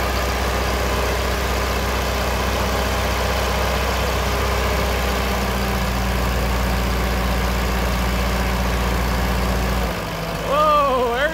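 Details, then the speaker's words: Ferguson TO20 tractor after gas tank and left front wheel bearing repair, started after checking fuel bowl and spark: even low chug at constant speed, no misses, knocks or hunting, then a brief throttle change; running properly. "all right spin it over y she's barking and we got fuel all it should be is just a popping off"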